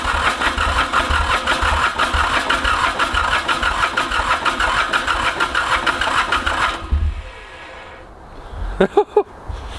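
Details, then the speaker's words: Mitsubishi K3D diesel in a Ransomes Bobcat mower, first start attempt after about nine years, starter fluid used, owner suspects too much fuel: about seven seconds of uneven starter chug with a few stray firing pops, then quits; no start. "ah it wants to go so bad you can tell but try one more time and then we're gonna give it a break so we don't melt this stuff"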